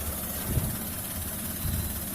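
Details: Alto K10 small car engine idling, from a clip on an engine sound problem and clutch adjustment: low, steady idle with even rumble, no knocking or rattling; normal idle.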